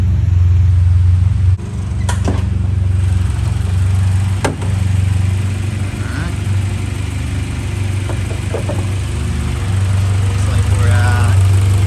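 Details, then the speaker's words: Honda Civic EG hatchback idling after fuel pump reinstall for a track fuel-starvation problem; steady even low idle, no stumbling or surging, a few handling clicks, no fuel leaks, running well. "Sounds like it's running good. Doesn't look like it's leaking back there."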